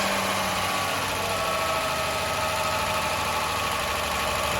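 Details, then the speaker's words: Ford Granada Mk1 3.0 V6 Ghia with a carburetor and a newly fitted choke cable, started from stone cold: a smooth, even idle, a steady purr with no misses, ticks or hunting. It sounds healthy. "So we're going to fire this up from stone cold and let you see this. There she goes."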